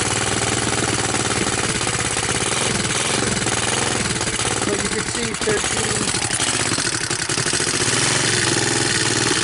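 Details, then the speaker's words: Honda TRX200SX ATV idling after choke-on start with new battery: quick, even firing beat settling into a steady idle with no knocks or rattles; 14 volts, charging system working, normal idle. "14 volts. So my battery's charging. It's idling."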